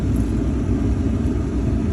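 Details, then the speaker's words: Chevy Silverado (1999–2006) with an intermittent no-crank, no-click problem, after starter replacement: it starts quickly and strongly, and the V8 settles into a steady, even low rumble with no knocks, misses or grinding. "that sounds a lot more like more power more faster everything"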